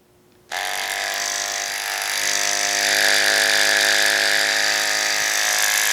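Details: Noisy Andis SMC 5-Speed clipper before repair, also with a popped-out button: switches on to a harsh, buzzy whine with a rattly edge over the hum; the motor is loose in its mount.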